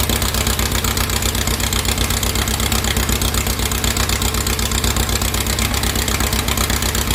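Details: 2332cc "Dust Buggy" bug, started cold after its carbs were cleaned. It missed at first, and the mixture screws were then set. Even, regular idle pulsing about four beats a second with no stumbles or misses: normal idle.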